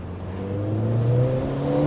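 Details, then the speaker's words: High-mileage Ford Fiesta ST, driving and accelerating through about 3,000 rpm, where it has stuttered once intermittently; owner plans to check coil packs and plugs. Engine note climbs cleanly with no stumble this time. Normal acceleration. "See, it's not doing it now, but it's quite a fast car though, guys. It's quite a quick, nippy little car."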